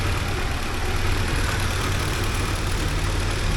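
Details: 1979 Porsche 924 at a smooth, steady idle with no misses or hunting after idle, ear-set timing and warm-up regulator adjustments; best it has ever run. Normal idle.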